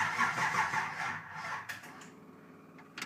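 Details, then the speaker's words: 1966 Chevrolet Impala during five-speed conversion, new aftermarket starter for 153-tooth flywheel: brief steady cranking churn about two and a half turns per second, clean drop-off; starter engages and disengages properly. "there we go motor turned over seems like a starter engaged and disengaged how it should so I'm gonna call that a win"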